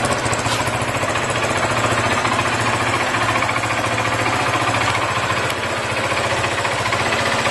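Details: Motorcycle FZ 2008: fast metallic knocking inside the engine, about three or four per second, while running. It began shortly after an oil change; the exhaust pipe is dented. Cause unknown.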